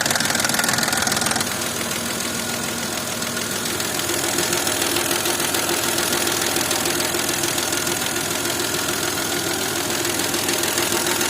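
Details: VAG BDW engine knocking both cold and warm: sharp, steady metallic tapping about three times a second over the idle; an internal knock of unclear cause.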